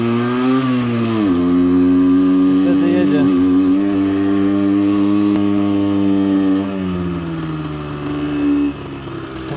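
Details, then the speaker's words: Suzuki SMX 50 on its first run-in ride after an engine rebuild for a failed con-rod big-end bearing, hot: no power low down, then the revs climb into a resonance; owner considers raising the needle for more fuel; the rear brake disc was also warm. "dobrze nie ma mocy zupełnie z dołu widzicie czek czeka czeka czeka rezonans"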